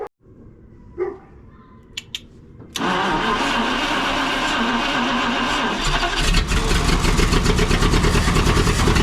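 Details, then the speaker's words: 1952 Packard straight-8 327, exhaust down tube removed after about 2 lbs of cat food was found in the exhaust and a vacuum leak plugged; a few clicks, then the engine starts and runs loud and raw through the open exhaust. "I put the down tube from the for the exhaust off and that is no longer there so we're I just want to hear it again and it should be loud"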